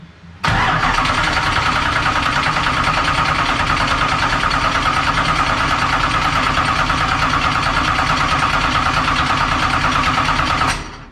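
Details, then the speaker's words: Dirt race car that kept dying at the track, cranked with mechanical fuel pump under test: starter churns about ten seconds, never catches; pump not pressurizing, its diaphragm hook had come off, reattached afterward and it flowed fuel. "Nothing? Nope. It's not even bubbling or pressurizing. You got a problem, Mark."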